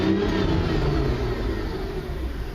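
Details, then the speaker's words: Angel KL 1 car, running again after a battery charge: the engine settles into a slow, deep, even idle that sags slightly after a blip; idle is slightly low, no check engine light. "sounds good to me it's got a slightly low idle but i can try and do a an idle speed adjust see if i can fix that"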